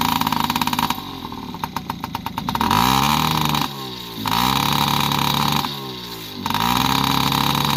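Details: Yamaha PW50 two-stroke after 5 years' storage, aftermarket cables: blips up and sags back with a wet, uneven burble, dropping out between revs; running rich with the choke always on from a too-short choke cable, and the throttle slide opening only halfway.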